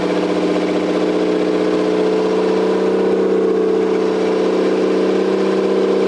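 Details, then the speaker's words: Toyota 7M-GTE straight-six (MA70 build) after a four-month rebuild, no exhaust fitted, intercooler bypassed, no idle air control valve. Loud raspy open-pipe drone at steady idle, firing smooth and even with no stumble; normal running, just unmuffled. "but you got to hear it got to see it running made some cool noises exhaust sounds really cool when there's no exhaust I guess it's like every car ever right"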